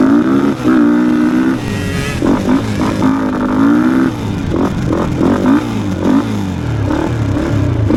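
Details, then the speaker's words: Yamaha Blaster two-stroke ATV that ran badly and bogged, after a carburetor cleaning: revs up and settles cleanly with crisp throttle response and no stumbling; normal running. "well we got the carburetor all cleaned out seems to be running a little better"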